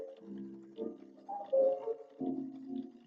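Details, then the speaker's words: Sony CMT-EP313 cassette deck playing a piano recording with sustained notes wavering in pitch, described as wobbly; owner notes cassette problems ahead of drive belt replacement: wow and flutter from worn drive belt. "piano noise, so wobbly. Okay, so we have problems with cassette."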